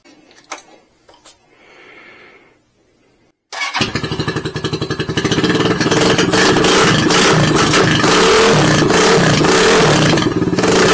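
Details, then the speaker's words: Condor 150 motorcycle after catalytic converter cut out, header flange ground and replacement pipe welded in; cranks and catches, then steady crisp thumping about 220 beats a minute; definitely louder open exhaust, running clean. "definitely louder"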